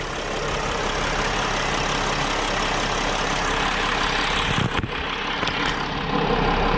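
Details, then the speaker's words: 2010 Mercedes Sprinter diesel van (Freightliner-badged) with oil cooler seal leak, check engine light on, cold idle before warm-up: loud steady idle with faint loosely regular light tick, sounding a little out of the ordinary; ticking at idle, cause unclear. "guys as far as the way it's running it sounds okay to me I do hear a little ticking over here like that sounds a little bit out of the ordinary"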